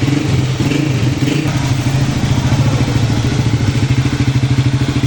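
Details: CG150 pushrod single-cylinder motorcycle idling after replacing the worn camshaft and both timing gears; steady, even thump with no clatter, the loud cam noise is gone and the valve train sounds healthy.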